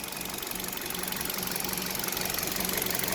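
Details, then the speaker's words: Cold idle of a KIA RIO, dirty engine, bonnet open: hollow, fairly even knock about four per second over top-end clatter, identified over time as piston slap, most audible around 2000–2500 rpm, gone above that, not worsened in 4 years. "А именно постукивание как это Спустя время выяснилось это перекладка поршней"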